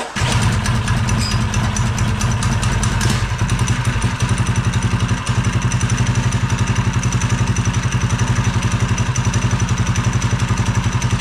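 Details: Swapped-in Honda mini bike engine, chain and belt cover off, after a pull start: a quick, steady single-cylinder idle with no knock or misfire. Normal idle.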